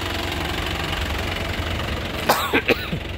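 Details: 2019 black Isuzu Panther LS Turbo diesel, low mileage: steady diesel clatter at idle, even unbroken beat, brief cough nearby; exhaust smoke clean and odourless, complete combustion per owner; healthy normal idle.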